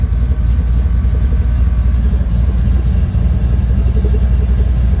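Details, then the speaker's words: 1977 Mustang Cobra II V8 with Hooker headers, bought as supposedly blown motor: deep, steady burble with even low pulse at idle, no knocks or misses; air-fuel gauge shows idle about perfect. "Has a little air fuel gauge over here. Idle's about perfect."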